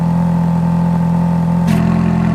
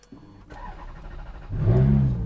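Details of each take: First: Ferrari F430 V8 with Capristo remote exhaust set to sport (valves open), hot day at about 98°F, just started on a weak battery. Deep, steady, even idle burble with no knocks or misses; normal idle. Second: Ferrari F430 just delivered from California, sitting in the sun at about 98°F with a known bad battery. Weak, sluggish crank for about 1.5 seconds, then it catches and settles into a rough low rumble: weak battery.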